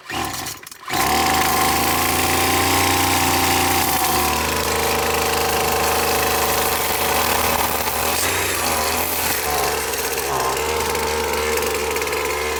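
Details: McCulloch T55 CLS two-stroke line trimmer after tightening the loose cylinder head bolts: catches after a second, then a steady buzzing idle that picks up and settles cleanly with no misses; running healthy.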